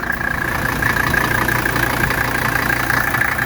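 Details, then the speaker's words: 1985 Mercedes 300D (W123) diesel at cold idle after an overnight cold start, hood open: steady, even clatter with constant beat, no misses or stray knocks; air cleaner vibrating normally. Healthy normal idle. "It's vibrating normal, just like a normal 300D would."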